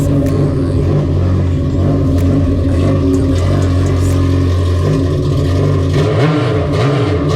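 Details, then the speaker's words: Naturally aspirated Yamaha GP1800R jet ski with impeller and stage 1 accessories, after build: strong, smooth rumble with blips of rising revs, clean and even, no clatter; sounds very nice, healthy. "It sounds very nice."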